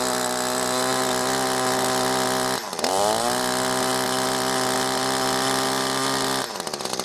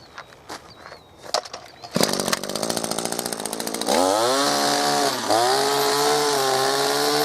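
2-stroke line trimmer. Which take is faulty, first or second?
first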